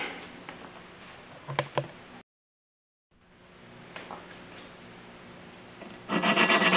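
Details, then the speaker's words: Valve being hand-lapped in the cylinder head of a 1999 Mustang 3.8L V6 to cure leaky valves and low compression: rough, gritty rasping strokes, about three a second, the seat not yet mating cleanly. "you can kind of hear it change its note it started out sounding really gritty and that's making less noise"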